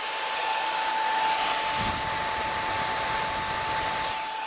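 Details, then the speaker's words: PS3 with an APS-226 replacement, on boot: a loud, steady rush of air with a thin tone as the fan ramps up to near max speed and stays there, apparently without much hot air coming out. The cause is not confirmed. "When you turn the unit on, the fan steadily increases. Even though it does boot up, the fan is now almost at max speed. It's probably one maybe one or two notches below max."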